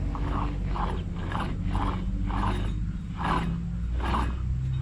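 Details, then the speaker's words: 2004 Ford F350 at 306k miles, before wheel hub replacement: rough, rhythmic grinding surges about every 0.7 seconds over a deep rumble; owner says the hub bearing is shot without having inspected it. "can you all hear that yep so that bearing is definitely I'm going to say shot without looking at it I'm going to say it's shot"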